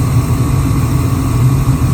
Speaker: With everything reassembled, we can hear the blowers working down here. We can hear the flames, and if you look through the cracks, you can actually see the blue flames.